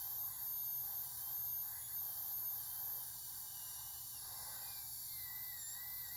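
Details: New ASUS ROG PG279Q G-Sync monitor on DisplayPort at 144Hz, speakers disabled, PC off: strange ticking, then a faint steady high-pitched hiss from the monitor with nothing else running. The electronic source is unclear.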